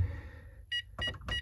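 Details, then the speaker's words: Texecom Veritas alarm keypad on arming attempt: three short, evenly spaced high beeps about a third of a second apart, meaning zone 3 is open, so the system won't set. "3 beeps."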